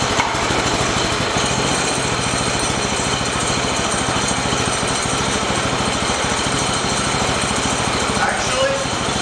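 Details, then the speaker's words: Shop mini bike small single-cylinder engine after fixing a loose throttle bolt and refitting airbox: even, quick putter at low steady idle, no hunting or surging, idle no longer creeping; normal idle. "sounds better that's a lot more like where it okay I'm pretty that I got that problem took care of yeah see it's not creeping no more that's good"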